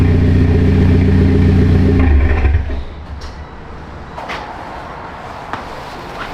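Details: Mitsubishi Lancer Evolution X after rebuild, new brake lines fitted, fluids being topped off: strong clean rev with even beat dropping back to a settled idle, no knocks or rattles; sounds healthy.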